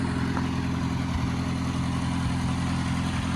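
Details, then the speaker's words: Old Oliver OC3 crawler outdoors after manifold gasket change, warming up: low steady rumble, even beat, no knocks or misses, no smoke; normal idle. "But I don't see it throwing any smoke now. That is beautiful."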